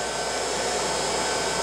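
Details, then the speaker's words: Glass-crusher electric motor on a 7.5 kW VFD driven at 120 Hz, measured 3595 rpm against a nameplate of about 3490 rpm. Steady, smooth high-pitched whir with an even airy rush, no knocks or rubbing; normal running at high speed. "let's take us up to 120 rpm which should be twice the nameplate rpm place the nameplate rpm is about 3490 I believe and this is what we are getting 35 95 so I'm about 100 rpm 105 over I can live with that"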